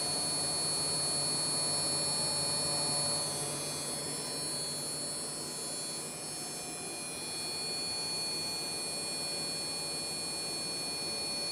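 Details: Desktop PC under gaming load after a GPU upgrade to an ATI HD 5850: a thin high-pitched electrical buzz with steady whining tones from the small motherboard speaker, solved by unplugging the speaker.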